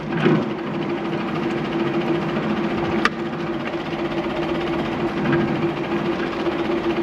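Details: 1959 Allis-Chalmers D17 tractor after tune-up and new exhaust, working a plow during a hydraulics test: steady even engine drone with constant note, no knocks or misses; smooth and healthy, lift a bit slow.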